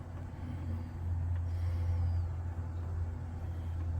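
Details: Furnace in a crawlspace, checked for an intermittent noise in the return like a motor trying to start: steady low hum builds smoothly as the blower spins up, no rattles or grinding; normal blower start, complaint noise not heard.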